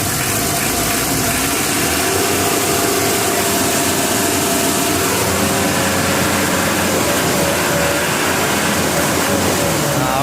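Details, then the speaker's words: 1987 Mitsubishi L300 van engine, hard starting when hot, stalling on hills, white smoke, after full tune-up: steady, even, smooth idle rumble with no knocking or misfire; normal idle. "itu bukan tidak ekstrim bekasnya guys ya halus ya kedengarannya seperti biasa aja"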